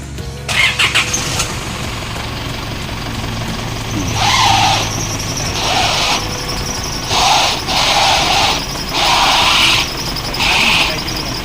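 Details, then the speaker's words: Isuzu MU-7 running after steering rack leak and ball joint repair, repeated high shrill chirps about a second each; alternator belt squeal. "อืสายพานเสียงสายพานไดชาร์จตั้งเรียบร้อยแล้ว"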